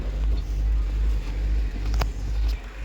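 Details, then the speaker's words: Honda Civic petrol engine with a high idle, held faster than normal; check engine light on, no smoke from exhaust, combustion seems fine; being scanned for fault codes; dirty throttle body suspected, cleaning planned. "ang problem na idle ay mataas ngayon ini-scan natin dito check natin kung ano yung lalabas na fault code kasi may check engine nga pero dito sa tambuto wala naman siyang usok"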